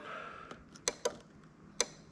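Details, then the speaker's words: Adapted 2000–2003 LS430 3UZ-FE VVT-i engine harness for a Toyota Altezza RS200 with a J160 six-speed manual. Sharp, separate relay clicks are heard as a 12 V brake-switch signal is imitated at the plug. The relay is switching normally. "okay so let's just there you go you can hear our little relay clicking that we've got in there"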